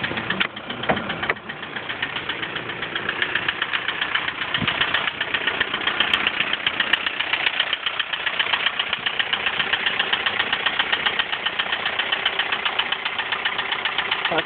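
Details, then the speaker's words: 1999 VW Golf TDI diesel idling out of gear: light sharp ticking about two to three times a second from one slightly noisy tappet. "And I'll fire it up to explain demonstrate the noise that it makes with the, sure it's out of gear of course, the slightly noisy tappet that it has."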